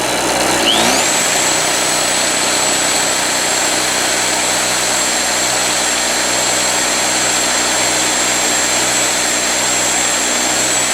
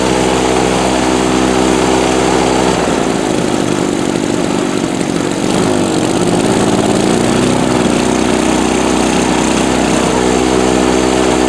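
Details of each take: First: Harbor Freight Storm Cat 2-cycle generator, drill-started, now powering a drill: revs climb, then a steady high two-stroke buzz with no misses or surging. Running nice and no longer smoking, only smokes heavily on startup. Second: Harbor Freight Storm Cat 2-cycle generator, drill-started with the spark plug still loose (timing or flywheel key suspected for a hot-restart problem): over-choked, it sputters, stumbles and hunts when the choke comes off, shoots smoke, then smooths out as excess fuel burns off.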